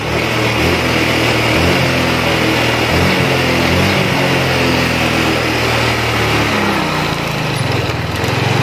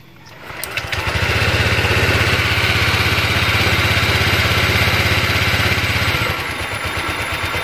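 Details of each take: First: Honda Vario 125 ESP scooter, injected: idle sometimes normal, sometimes climbs high on its own and hangs before dropping back, sensors to be checked; idle air control valve fault. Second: Honda Vario 125 ESP scooter after fixing a high, erratic idle (ACV sensor area glued to stop a leak, spring tightened): steady, even putter that settles down to normal idle with no surging or hang; normal idle.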